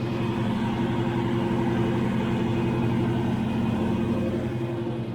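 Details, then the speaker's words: 1934 Buick show car after battery replacement and rebuilt alternator: smooth, even low idle with steady soft beat, no knocks, ticks or misses; purring like a kitten, running good. "Sounds like it's purring like a kitten."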